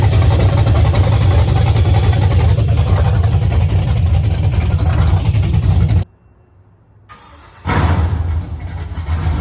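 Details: LS-swapped Chevy C10 just after first start, untuned, unknown cam; deep loping idle with uneven chop around three to four pulses a second; lumpy cam idle.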